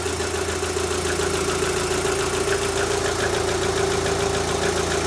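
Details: Rover 75 petrol engine idling just after fitting new spark plugs in place of the factory originals; a smooth, even "blub da blub" idle with no misfires or skipped beats, judged to be running better.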